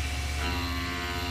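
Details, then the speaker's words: Tormach CNC mill cutting aluminum with a single-insert tool, plunging with pre-drill, feed backed off to 20 inches per minute: steady even cutting roar with constant spindle tone, bogging down slightly but no chatter; normal cut. "better that sounds pretty good bogging down a little but I'm willing to let this run"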